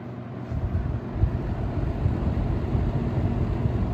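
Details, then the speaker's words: 1996 Lakewood 223 3-speed 20-inch third-gen box fan, before restoration, on low speed: soft steady low drone with even hum, no rattle or scrape, running smoothly. "I think this is the perfect speed to use if you want a a good bedside fan because it has a nice bit of noise to it it's a nice constant drone"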